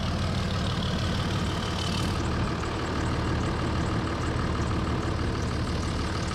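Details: 2003 Dodge Ram with 5.9 Cummins diesel at idle after replacing the HY35W turbo; even settled diesel clatter with a deep steady rumble, no surging or odd knocks; engine running healthy.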